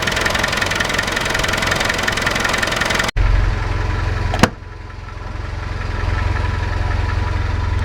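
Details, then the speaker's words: Land Rover at idle and revved, listened via long screwdriver at water pump: thin steady whine over engine rumble, ongoing for weeks, traced to water pump area, not horrendous; pulley whine. "so this is the water pump tching the water pump bit noise not horrendous"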